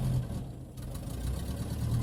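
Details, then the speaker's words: 1978 Volkswagen bus air-cooled engine just started, very cold: low, uneven idle wandering and sagging as if about to stall, then picking up; owner says it has done this on cold starts for 15 years, goes away and never stalls. "It's very cold right now, so I call that the ghost in the machine. It's done that for the entire of 15 years I've owned it. It'll only do it when you first start it up, and then it goes away."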